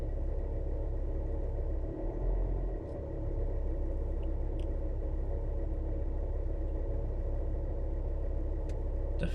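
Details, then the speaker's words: Engine after a fuel system repair, revved slightly: steady low rumble with an uneven rubbing, friction-like undertone that shouldn't be there; source unclear. "Yeah, that sound, that friction-ish sound shouldn't be"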